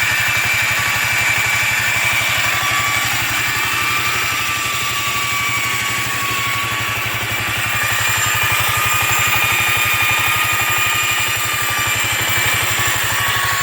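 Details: Yamaha Riva 125 XC scooter after new starter clutch, relined rear clutch and buffed bell housing: hissy, rattly running with thin whining tones, worse with throttle; owner suspects worn variator weights, unconfirmed.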